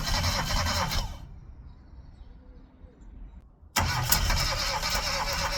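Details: Classic Mini, first start attempt after 12 years, engine known for low compression: starter churns about three turns a second and engine stumbles without catching; cranks but won't run yet, starts shortly after.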